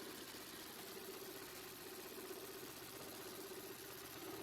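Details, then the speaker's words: Opel/Vauxhall Astra H 1.8 petrol with the engine light on: uneven idle with an irregular stumbling pulse and a shaking airbox; codes show misfire on cylinders 1 and 4, both dead from lost spark; spark plugs checked next. "it's running really hard but really intense. The airbox practically jumps right out at you. You just can't miss it. It's that pronounced."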